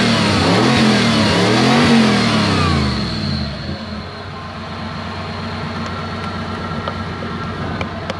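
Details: 1UZ V8 swapped into a BJ40 Land Cruiser with manual gearbox revs up cleanly, then settles to a steady, even idle with no misses or knocks. It is running healthy after bad earths on the back of the block were fixed, which had caused intermittent spark.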